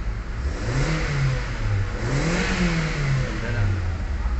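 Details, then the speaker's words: Kia Soul gasoline engine after fuel pump replacement fixed hard starting (previously 8–10 s cranking): revs rise and fall smoothly with no hesitation; RPM back to normal. "Okay na rin yung RPM niya So back to normal na fuel pump nga lang"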